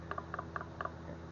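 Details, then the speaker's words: Hot failed turbo just removed from the truck after it let go on one load and limped back smoking: light metallic clicks as the shaft is rocked by hand. One side looks good, the other is horrible with lots of shaft play, pointing to worn bearings. "Looks good on that side. The other side is horrible, and there is a lot of play"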